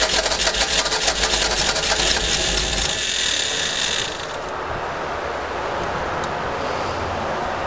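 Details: About four seconds of rapid rhythmic cranking at roughly three beats a second on a 1952 Fordson E83W pickup's freed-up 100E engine, seized after sitting since 1982; stops without catching, turns over but won't fire.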